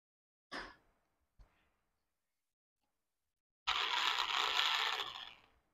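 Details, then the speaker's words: Kids' ride-on 12V motor and gearbox after servicing: two clicks, then harsh high gritty whir for about two seconds; noise reduced but rises under load, gear housing inside slightly loose, so whole gear needs replacing. "देख रहे हैं कि अभी थोड़ी आवाज़ है, मगर जैसे इसके ऊपर लोड आएगा तो आवाज़ बढ़ रही है। तो इसका ये मतलब है कि इसके जो अंदर का जो गियर जो मैंने आपको बताया वो हाउसिंग हल्की सी लूज है, इसलिए हमको ये पूरा गियर रिप्लेस करना पड़ेगा।"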